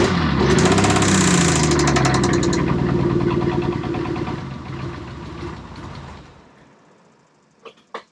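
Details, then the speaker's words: 1992 Dodge Stealth R/T Twin Turbo, started on starting fluid with the fuel pump relay removed. It runs loud and uneven with a rattly beat, smokes, and sounds briefly knocky on the back side before that goes away, then dies. "well it started and you heard it it smoked when it started that's expected it sounded a little bit knocky on the back side and then it kind of went away"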